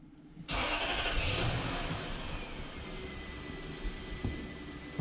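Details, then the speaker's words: 2006 Lexus LS430 (UCF30, 3UZ-FE V8) after an alternator swap for a suspected failed alternator, battery tested and fully charged: short crank, clean catch, brief flare, then a quiet even idle; normal start with battery light present and no warnings. "So I'm thinking it's just an alternator that has failed. So let's fire it up. So far so good."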